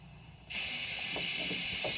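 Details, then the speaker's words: 2005 Ford Super Duty 6.0L diesel (hot no-start, low ICP, code P2291), high-pressure oil system air leak test: quiet, then a sudden steady loud hiss as the solenoid is released; normal air bleed-off. "you're gonna hook sharp air to it and you will hear air leak out unless you energize this solenoid because that solenoid is going to shut off the"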